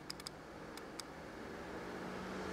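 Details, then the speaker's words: 2006 Opel/Vauxhall Astra 1.8 convertible with overheating and coolant loss, testing the fan relay by bridging pin 85: several crisp relay clicks, then a steady fan whirr builds; relay switches and fan runs. "there we go and you can hear the relay clicking as well"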